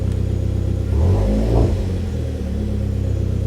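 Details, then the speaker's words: Hyundai Genesis Coupe automatic, just after fuel pump replacement: steady low idle hum swelling with a light throttle blip then settling; smooth, no squeal, fuel gauge reading correctly, no leaks; pump working normally. "Yeah. And it's reading the right level. Sounds like it's working."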